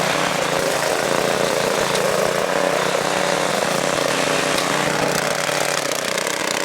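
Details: Tiller's small single-cylinder engine after blowing debris out of the carburettor with compressed air, air filter refitted, cold day: steady even buzzing drone without stumbling or surging; running cleanly after the repair.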